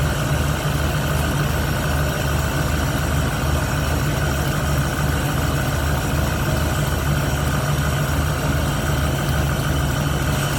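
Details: 1971 Ford Torino, rebuilt 302 V8 with C4, after slight carburetor idle mixture tweak (was a little lean): even, steady idle with smooth low rumble, no misses, stumbles or knocks; revs and idles clean.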